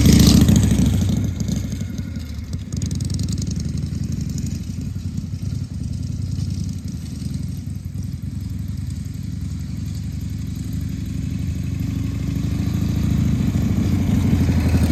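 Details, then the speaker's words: 1978 Harley-Davidson Shovelhead FXS Lowrider after cleaning the carburetor's accelerator pump and fine-tuning the carb, test ride in 1st–2nd gear: steady, lopey V-twin beat, deep exhaust note, pulling evenly and holding speed; running pretty good. "So, very glad to see that it came back alive. Seems to be running pretty good."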